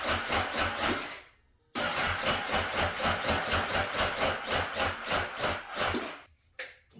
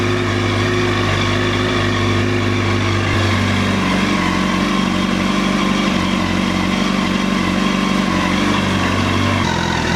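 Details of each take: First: 2009 Honda CBR 1000 RR, bought unseen after sitting outside in an auction lot: uneven chugging about four pulses a second that stops and restarts without settling. Rough running after storage. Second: 2009 Honda CBR1000RR Fireblade at 61,211 km, started with a jump pack: engine catches and keeps running, steady drone shifting in pitch with throttle blips; runs and revs normally.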